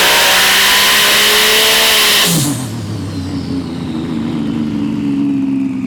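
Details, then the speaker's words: Porsche 997 Turbo on dyno at full load after O2 changes and new NTK lambda sensors: howls hard at high revs, then drops off sharply; sounds strained and flat, running super rich and needing full recalibration with less fuel. "Sounds like it's struggling. The Emre's doing his thing in there. So this is down compared to the other lambda sensors because it's running super rich now."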